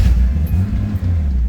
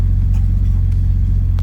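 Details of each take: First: Datsun 280ZX Turbo (L28ET) just started after blocking off the AAC valve and removing the EGR; deep, lumpy, uneven rumble, idle sagging and near stalling when off the gas; idle set too low, needs throttle stop adjustment. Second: Datsun 280ZX Turbo (L28ET), AAC valve blocked off and idle set manually at the throttle stop; warm engine at about 900 rpm, slightly high versus the 850 target; deep, smooth, even firing without surging; normal warm idle.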